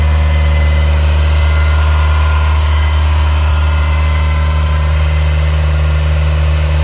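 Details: 1980 Ferrari 308 GTSi, recommissioned, warming after cold start; deep steady even idle with strong low drone, briefly rising to mid-upper teens then settling, no knocks or misses; normal fast idle during warm-up.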